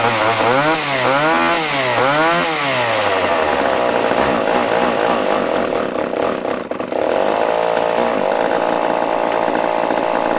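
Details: Used chainsaw with old fuel dumped, fresh fuel added, and the fuel line primed: fires, blips a few times, then settles into a smooth, even high-pitched run without stumbling or misfires.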